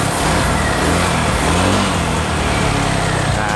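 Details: Honda Vario 125 scooter with a weak double starter, after battery checks: a steady, even idle with a smooth low beat and no knocks or rattles; charging is good at 13 to 13.6 V.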